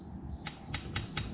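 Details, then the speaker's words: 2010 Suzuki DR650SE, engine stopped at TDC on the compression stroke during a valve adjustment: light crisp ticks about five a second as the rocker arms are wiggled by hand. This is normal valve lash free play before the feeler gauge check. "The timing mark is across the center of the hole, and you can wiggle the rocker arms."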